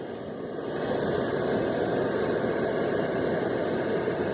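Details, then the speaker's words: Camp stove on a small all-season camp fuel canister, turned on and lit: a hiss builds into a steady, even roar, the burner burning cleanly and normally. "So you're just gonna turn it on. Hear a little bit of gas. There, she's going."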